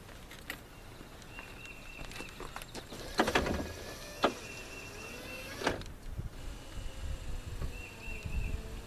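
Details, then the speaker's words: 1980-1986 Ford truck, dead power window switch replaced with a square-body GM truck switch: short bursts of even motor whine as the glass moves up and down, no grinding or stalling; window works perfectly after the swap. "Works just perfect. And of course it just snaps in."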